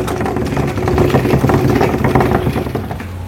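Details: Water supply pipe vibrating from water hammer when the tap is opened: fast rough rattling buzz with a low hum.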